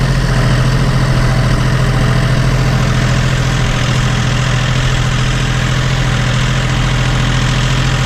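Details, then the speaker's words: John Deere 5205 tractor diesel after a Stanadyne DB4327-5913 injection pump replacement, idling outdoors in rain: a steady, even low rumble with no knocks or misses. No leaks are seen, and it runs healthy. "She sounds really good. Doesn't look like I have any issues here, leaks or any of that."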